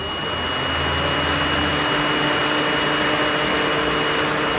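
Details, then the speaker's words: 2009 Nissan Tiida that lost power and became a crank-no-start with repeatedly blown fuses: loud, constant whoosh of the cooling fan stuck on high. ECU not communicating, no check-engine light; a harness short near the battery was found. "from what I'm seeing here the ECU is not communicating I mean you can tell by the fan running on high speed at all times"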